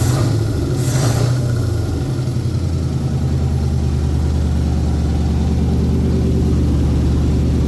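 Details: 1981 Ford Bronco 351 V8 first running after no-start: timing confirmed, fuel added, carb refitted on homemade adapter plate after backfire lifted it; deep, even burble settling to steady clean idle, no misses or pops; small resonator muffler.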